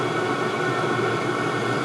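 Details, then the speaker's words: All-in-one 12V/24V/240V diesel heater on 24V at full output, body temperature rising from 130°C toward an estimated 170°C tick-over point where the fans start slowing. Steady even fan and burner whoosh, no pulsing or rattles; normal running. "okay i'm guessing the tick over point was 170ish degrees because it started to slow down now temperature's still going up in the housing but i can hear the fans starting to get slower"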